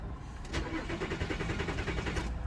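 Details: Nissan Murano with 12.4 V battery and prior severe overheating: steady starter cranking, about six even turns a second for two seconds, never catches; crank-no-start.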